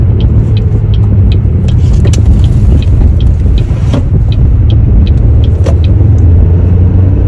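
A heavy, steady low hum droning under the car while driving, typical of a worn wheel hub bearing. Cause suspected, not confirmed.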